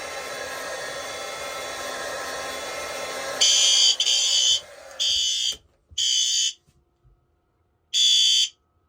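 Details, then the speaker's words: Night-time monthly fire alarm test, sounders switched from high to low volume: a steady hiss gives way to loud, high-pitched sounder blasts cycling about once a second. The alarm was set off by testing the heat detector. "I changed this to low volume from high volume as it was a little too painful before doing the monthly tests"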